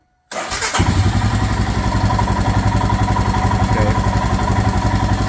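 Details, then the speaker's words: Royal Enfield Himalayan single, hot. Fires quickly and drops straight to a steady, even low idle about four beats a second; correct warm idle. "because the bike should do this it should go right to correct idle when"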